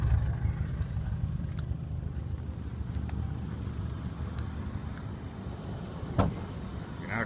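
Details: 1985 Oldsmobile Delta 88, 307ci V8, idling on its own very rough: lumpy, irregular sputter like a dead cylinder; runs badly from a bad EGR gasket, owner also suspects vacuum leak, brake fluid spraying on exhaust manifold; needs exhaust system.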